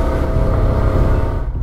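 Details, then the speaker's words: Motorcycle under way after entering Honduras, heading to Tegucigalpa for bearing repair: a heavy, steady rumbling growl and droning hum from worn bearings. "¡Uah, chavales, cómo suenan los rodamientos!"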